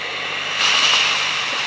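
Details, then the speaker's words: Tefal Access Steam Force DT8270G0 handheld garment steamer (2000 W, 200 ml tank) in turbo mode, turbo button pressed and held for boost: steady hiss jumps louder and sharper partway as boost kicks in; normal turbo steam burst. "and pressing and holding on the turbo button does produce that last"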